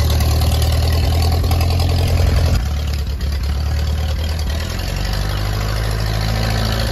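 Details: Ferguson T20 barn-find tractor out after 38 years standing, some small leaks remaining; steady low even petrol engine note, no knocks or misses; normal running.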